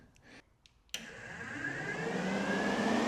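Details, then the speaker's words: 1966 Dodge Coronet restomod with a Gen 3 Hemi swap, radiator cooling fans powered by jumping a wire: fans click on and spin up into a strong, steady whoosh with a smooth rising whir, working fine. "Yeah, we got strong flow going. Those fans are kicking butt."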